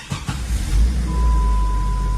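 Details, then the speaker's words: Jeep Grand Cherokee ZJ after replacing faulty ASD (auto shutdown) relay flagged by code 42, previously hard to start with fuel pressure fine: couple of quick cranking pulses, catches immediately and settles to steady low idle; easy start now. "ยุทธสตาร์ทติดง่ายร้อยเปอร์เซ็นต์เลยนะครับก็เต็มใจติดนะครับ"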